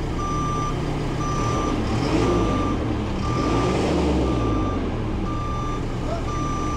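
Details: Telehandler recovery after a rollover, heavy rotator on site. Steady high beep about once a second over a low diesel rumble: a normal reversing alarm.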